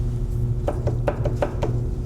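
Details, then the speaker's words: Lion metal lathe slide rocked by hand gives sharp clunks about five per second; gib tight in front, loose at back, about half a thousandth play measured at front; loose slide gib. "So, we just did our acoustical analysis and uh it sounds like it's tighter in the front and looser in the back."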